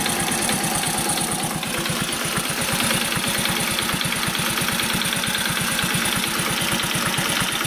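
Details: Commuter Honda Cub at warm idle, quiet just after start: fast even ticking about nine clicks a second on top, hard to hear with slightly raised revs; light top-end tick, likely valve-related, tappet adjustment attempted.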